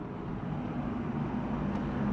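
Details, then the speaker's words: Panasonic air conditioner (R22), rated 5 A, that was loud and whose compressor would not start, now running: a smooth, steady low hum with no rattles or knocks; the compressor now runs normally. "เดี๋ยวเราไปสตาร์ทคอมเลยครับเปิดแอร์เลยดูนะครับแอร์จะทำงานไหมต้องรอสักพักนะตอนนี้แอร์ทำงานแล้วครับ"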